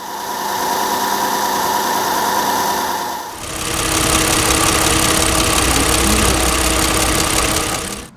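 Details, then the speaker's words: Hyundai YF Sonata engine with metallic noise despite premium synthetic oil changed every 3,000 km and repeated soundproofing: a sharp, rapid ticking knock about four per second over a steady hum, distinct from a quiet car. Suspected piston slap. "조용한 차와 비교하면 딱딱딱 끊겨서 들리는 소리가 명확히 구별됩니다."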